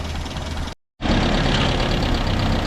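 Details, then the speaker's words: Land Rover idling stone cold after a new starter motor and cleaned earth points: steady low idle with a loose, tinny rattle from the roof panel riding over it. "Particularly like that rattle on the roof."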